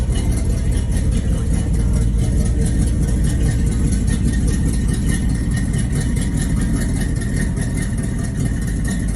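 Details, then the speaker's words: Restored 1949 Chevy 1500 pickup idling: deep, steady low rumble with an even, unhurried beat and no knocks or ticks; runs smoothly. "Runs and drives nice."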